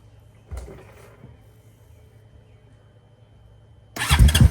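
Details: 2017 Honda Foreman Rubicon 500 IRS 4x4 after top-end rebuild from being sunk, first start: a click, a long pause, then the engine catches and runs with a loud, lumpy firing rhythm and keeps running.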